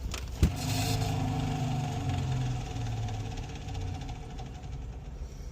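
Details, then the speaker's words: House water system after installing push-to-connect ball valves in place of rusted laundry shut-off valves: main turned back on, low rushing hum through the pipes, strongest at first, easing over a few seconds as lines fill; normal repressurizing, no leaks. "Anyho, the moment of truth. We open up this door and turn on the main system and pressure to the house."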